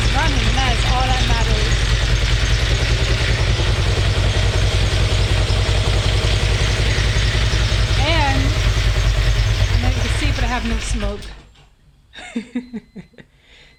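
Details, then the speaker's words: Mitsubishi 6G72 twin-turbo engine after a rebuild, including a rebuilt turbo: steady, even idle with a smooth low throb and no misses, no smoke from the exhaust (the problem being chased), then the engine is shut off; normal idle. "fine I have no gas I have like absolutely no gas oh yeah I'm very pleased got here at run for a little while and I have no smoke coming out the tail end which is the problem I've been chasing"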